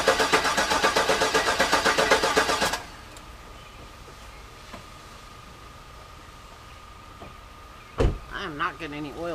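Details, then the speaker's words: Garage-rebuilt GM LS engine in the car, first start attempt with the fuel pump not working: brief even starter cranking that never catches. No oil pressure, and the owner suspects the oil pump needs priming. "in there so i'm thinking i may need to prime it which is unfortunate because that is a lot harder to do with the engine in the car"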